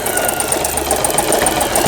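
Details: Elna 120 sewing machine after repair of a bent cam follower release arm that had jammed pattern dials and forward/reverse: quick even stitching patter with light motor hum, no knocking or grinding; normal sewing operation.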